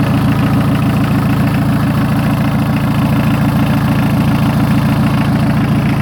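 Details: 1981 VW Rabbit diesel truck, rebuilt bottom end with oversized pistons and rings, first start in a year: loud, even idle chug at about three and a half firing pulses a second, steady and unbroken; healthy idle.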